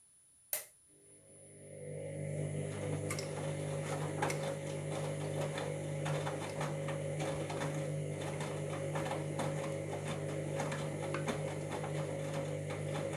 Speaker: making a bit of a grand sound which that shouldn't be happening